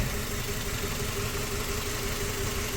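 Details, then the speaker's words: 2004 Toyota Tacoma four-cylinder, 141,000 miles, after swapping coils: still a cylinder 1 misfire, idle with a slightly lumpy, uneven beat. "we swapped. We are still cylinder 1 misfire. So this is going to get pretty interesting now."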